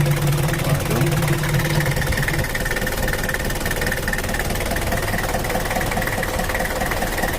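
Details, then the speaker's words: Mitsubishi Kuda diesel (4D56) after repair of rough, limping idle with low power and oil leak, injection pump reset to standard: steady even diesel clatter at idle, no hunting or heavy knock; now sounds normal. "coba dulu oke udah normal ya Rul untuk mesinnya sudah standart lagi dari suaranya bisa enak udah enak didengar dan juga mantaplah"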